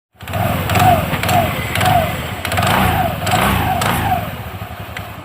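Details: TVS Ntorq scooter after clutch cleaning, service and refitting: fires up and blips through several short revs, rising and falling smoothly with no rattle or slip; belt tension correct, clutch working properly.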